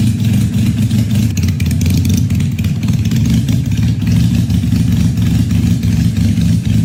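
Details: 1968 Honda CL175 converted to supercharged fuel injection, running on E85, first start at 34°F in garage: loud, lumpy cold idle with steady beat, slightly uneven but firing both cylinders; tune still needs adjusting, otherwise normal cold idle.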